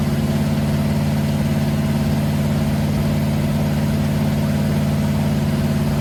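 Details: Freshly built 500 stroker big-block Mopar on first start, timing advanced after a carburetor backfire; oil pressure about 80-85: deep, steady V8 rumble at fast even idle, no pops, misses or knocks; running clean.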